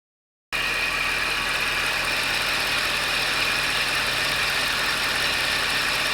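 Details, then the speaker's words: Mercedes CLS55 M113K with long-tube headers, after all four exhaust manifold gaskets were replaced; one had been badly blown out, causing a ticking exhaust leak. It now runs at a steady, even note with a smooth hiss and no ticking. "Alright, so as you can hear, we have no more ticking noise. It is literally a night and day difference."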